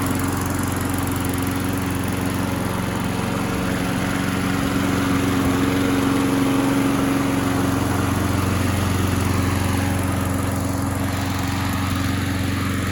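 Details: Craftsman single-cylinder mower that popped but wouldn't start, now primed and running after flywheel key replacement: an even, steady beat at constant pitch with no misses or pops. Normal running.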